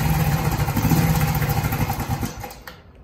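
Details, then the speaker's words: Shineray 50cc motorcycle, cold and without oil, after fitting a missing rubber mount to stop clutch knocking; short soft thumping idle about three beats a second then shutdown, heavy clutch bang gone. "tá fria tá sem óleo então não vou ficar forçando não mas o barulho já mudou"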